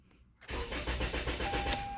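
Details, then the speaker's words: Toyota Camry with no-communication codes U010187, P061347, B279986 and P0606, after a failed key registration attempt: steady starter churning at about eight beats a second with no firing. Owner guesses the failed registration disabled the fuel; not confirmed. "see what happened did it do anything yeah so I guess it disabled the fuel"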